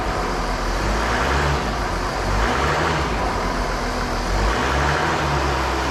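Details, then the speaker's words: Mercedes ML350 in for a running issue, with the pressure sensor found faulty, tested for exhaust back pressure while held revved: steady, heavy, muffled drone; readings run a little high, and excessive back pressure is suspected. "what we're going to do is start it up we're just going to check the readings the pressure in the system make sure we've got no blockages so we're a little bit high"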